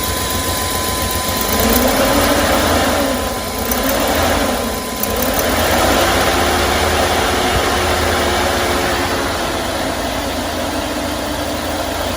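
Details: 2001 Chevy Express van, 4.3 V6, sat nearly 3 years: running on starting fluid after spider injector replacement, with an uneven, lumpy, wavering idle, periodic dips, shaking and smoke; rough idle misfire, cause not confirmed.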